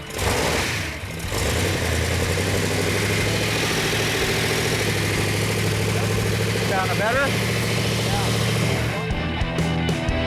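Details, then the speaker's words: V8 on engine run-in after a leaking coil was replaced and timing bumped: deep, steady rumble at an even idle with no misfire; oil pressure and water temperature perfect, running great. "it's running now it's running great we got all the oil pressure is perfect water temperature is perfect everything is running great on it"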